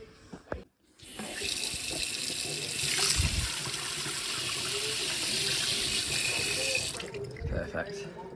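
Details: After the tap is swapped at a property that had a foghorn hum at every tap, a steady even hiss of water flows for about six seconds with no squeal, hammering or chatter.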